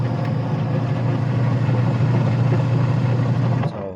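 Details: Sharp Gigawash 6 5kg washing machine after pulley replacement: even low hum with a steady pitch, no knocks, squeals or slipping, then a clean stop; the wash motor and pulley drive are running normally.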